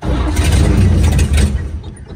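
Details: 1954 GMC 150 barn find with new plugs, wires, rotor and fuel line, glass-top fuel pump full of gas: starter churns at a quick, even rhythm for about two seconds but it never fires; cranking, no start, cause not confirmed.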